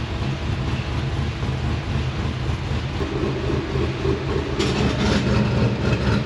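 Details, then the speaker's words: LS V8-swapped GQ Nissan Patrol with 6L80e transmission, at idle on the dyno: lumpy loping-cam idle with a steady puffing chuff like a small exhaust leak, because the owner-requested exhaust cutout's butterflies don't completely shut. "So a few of it is probably picked up in the last episode, but we did put a loud button in for the owner. He really, really wanted one. And that's why it sort of sounds like there is a little bit of an exhaust leak all the time. It's just because the butterflies on the cutout don't completely shut."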